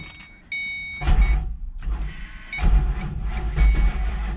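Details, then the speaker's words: Supercharged 3V Mustang GT with a 6R80 transmission swap, first startup after the supercharger install and after refitting the starter-relay jumper. Short, sluggish cranking bursts never catch; the battery's charge is too low. "Come on. Dang it. Not enough charge on the battery, guys, but you heard it turn over."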